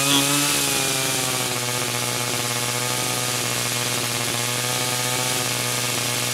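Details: 49cc/47cc pocket bike two-stroke after carburetor replacement for a non-running condition: steady, raspy high buzz at constant pitch with no stumbles or cut-outs; running healthy.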